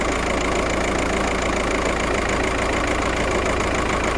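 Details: VW Passat idling lumpy and uneven, a stumbling beat about three times a second breaking the rhythm; cylinder 1 misfire, fault code P0301 misfire detected.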